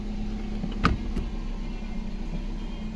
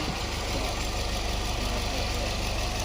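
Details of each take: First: 2019 Nissan Pathfinder 3.5L V6 with code P0101, rough unstable idle and stalling: slow uneven idle lope, less bad now than when cold; airflow reads too low, about 3.5 g/s. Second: 2019 Nissan Pathfinder 3.5L V6 with P0101 MAF code, rough lumpy idle and stalling when cold: after restart idles super smooth with an even low hum, fuel trims correcting.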